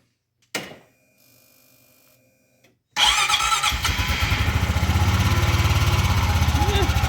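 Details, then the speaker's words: Honda Pioneer 500 after valve adjustment; cranks and catches, then steady even idle, quieter than normal, with no top-end tapping over the exhaust pulse; normal idle. "Actually sounds a lot quieter than normal."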